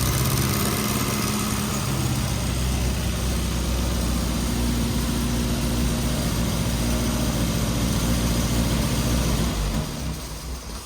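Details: Rebuilt 948cc A-Series four-cylinder with SU carbs, first run-in, not fully warmed, mixture had been lean, timing and idle still to adjust: steady low throb, slightly uneven but smooth idle; normal running.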